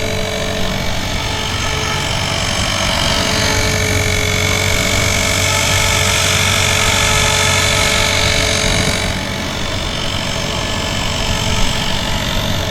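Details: Blade 360 Fusion RC helicopter in flight, autolevel on: steady high drivetrain whine with harsh gritty rasp over rotor noise; sand in the spur gear grinding.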